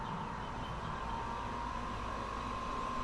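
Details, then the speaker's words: Diesel heater after strip-down and cleaning for fuel in the air inlet, new gaskets and gauze filter: steady whir of the fan spinning down with a faint even whine, no rattles; normal shutdown. "I think that's good again um it's just doing it shut down now"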